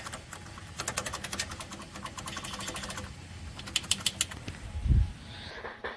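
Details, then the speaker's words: 1976 VW Kombi converted to Subaru EJ20 DOHC engine with 4EAT automatic: fast sharp metallic clatter in bursts over low drive hum, reduction gear box hitting a rod; fixed by switching to a different kit. "I'm sure it's hitting this rod. Making a lot of noise."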